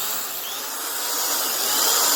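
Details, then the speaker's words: Old Proven Special corded drill with noisy bearings, after cleaning out old grease and debris and lubricating: steady high-pitched motor whine with no rattle or grinding; runs smoothly, sounding much better after repair. "Check her out. See if it's any better. Oh, she sounds so much better."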